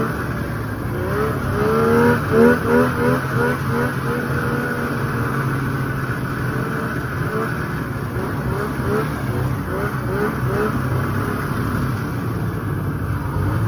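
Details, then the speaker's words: 1995 Polaris RXL 650 triple two-stroke snowmobile. It had sat outside about 8 years, was previously seized, and is on a borrowed battery. It now holds a steady two-stroke burble and even idle with light blips, no misses or knocks; normal running. "She's a runner now."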